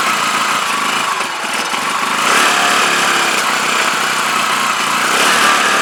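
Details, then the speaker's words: CPI SUV125 scooter just after carburetor strip, clean and rebuild, choke held up by hand: small single buzzing with uneven hunting beat, about three pulses a second, never settling; still running rough, cause unknown. "see if it sounds any better gotta hold the choke up now because it's spring i did so outside [Applause] not right definitely not right"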